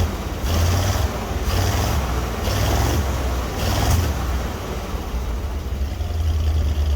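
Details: 1961 Dodge C800 ramp truck with 361 Chrysler big block V8: slow, heavy, lumpy idle with a deep uneven, almost diesel-like chug; rough idle, cause not pinned down.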